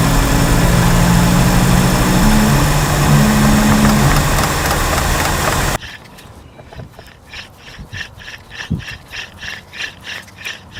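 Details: Badly worn front wheel bearing heard while driving at road speed: loud, steady droning growl, much heavier than normal tire hum.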